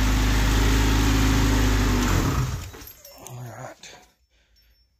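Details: Honda Civic hatchback with a stock B20B high-compression swap, stock manifold and GSR transmission, first run with exhaust not fully bolted down; deep, loud, even exhaust drone for a few seconds, then clean shutdown, no knocks or misses; normal running.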